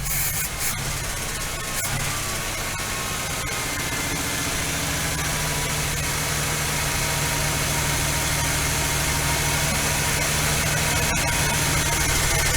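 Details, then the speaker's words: First start after a Quadrajet carburetor rebuild, with the idle screw backed off: a fast, steady idle that keeps creeping up, with a faint lifter tick on top. Idle is too high. "okay still idling way too high i've got the idle screw backed off and i hear a lifter tapping a little that might fix itself once it runs for a good 10 minutes or so"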